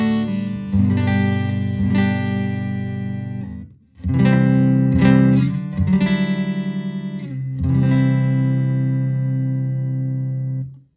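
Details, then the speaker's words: 1974 Fender Super Six Reverb (100 W, six 10-inch speakers) after restoration, vibrato channel with tone controls at 5, input about 3, master at 5: clean chords with deep bass, no hum, crackle or breakup; normal clean tone. "so much low end on this amp because of those uh 610 speakers there's just a ton of sub coming out which is awesome"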